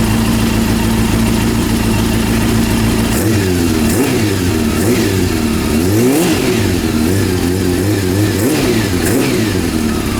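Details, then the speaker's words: Honda CB400 after engine rebuild, mixture and carb synchronisation adjustment: crisp revs climb and drop cleanly, settling to an even idle with no knocks or rattles; healthy. "hey the sound is good not so bad not so bad damn it okay the best engine noise i can't hear bad engine noises"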